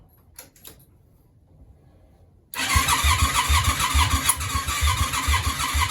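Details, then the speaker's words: Yamaha Virago 535 on a start attempt, possibly leaking a little fuel: the starter churns at a steady pulse of about two beats a second but it never fires; cranks without starting, compression test planned, cause unconfirmed. "what is wrong with you I don't understand it's not working people we're pretty much exactly the same position we was in"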